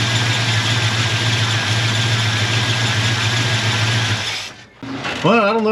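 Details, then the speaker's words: 1989 Grand Wagoneer 360 V8 after fitting a 1-inch carburettor spacer, fuel pressure 6-7 psi: steady, even idle with smooth low burble for four seconds, then clean shutoff; no misses or knocks; cranked up better. "it actually hurt or helped but um it cranked up better that's a good sign"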